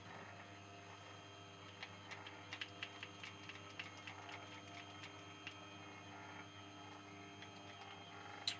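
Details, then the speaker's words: C-Bot 3D printer after upgrade to DuetWifi with TMC2660 drivers: quiet Z-axis stepper hum with irregular light ticks and rattles; suspected lead screw resting on stepper shaft inside flexible couplers. "speed of the z-axis and that rattle I have not been able to figure out where that's coming from I think it's inside the couplers these are flexible couplers"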